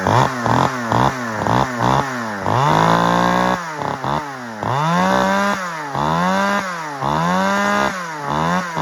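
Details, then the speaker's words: Stihl 009L chainsaw, small two-stroke, at its first run after purchase. It snaps up to high revs and drops back cleanly with even firing and runs really well. A broken fuel line leaked fuel when the saw was tipped over. "That's good news. It runs and it runs really good actually."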